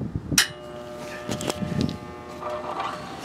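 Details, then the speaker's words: 1960s Craftsman horizontal bandsaw motor switched on: a click, then a steady electrical hum without spinning up, blamed on a bad start capacitor. "I heard it buzz. Yeah. Plus the AC, the start capacitor is bad. Pressure. Yeah, I hear it humming."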